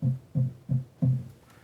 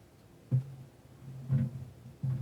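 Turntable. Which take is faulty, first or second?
second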